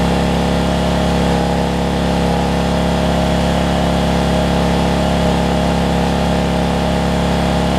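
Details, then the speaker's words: Generac 7500EXL generator running after unplugging faulty low-oil sensor that shut it down after 3-5 seconds; steady even drone with strong low hum, no hunting, but pitched slightly high: engine overspeed, governor/throttle speed set too fast, later slowed down. "kind of sounds like it's running a little fast to me"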